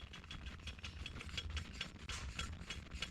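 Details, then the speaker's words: Zenoah G23LH engine rebuilt for 16:1 compression with full-circle crank and an LH piston, turned by hand: light regular metallic tick about three times a second as the piston hits the crank; needs trimming. "the piston is hitting the crank so i gotta pull this apart cylinder cylinder back off of this find out where it's hitting and trim it"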